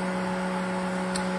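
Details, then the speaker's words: Pentair IntelliFlo VF variable-speed pool pump after priming at 30 gpm: even, steady motor hum settling as it slows to 25 gallons per minute, no rattle, grind or squeal; running normally. "now reads that the pump is primed and now it's running it's running at 25 Gall per minute and you can hear the pump slowing down to make sure that it's at 25 Gall per minute"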